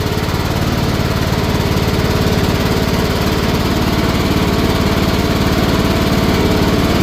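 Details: Cub Cadet riding mower after carburetor replacement and correctly reinstalled fuel filter (previously wouldn't start), first start-up test before oil change: even, steady beat of about three firings a second with no misses, surges or knocks; normal running.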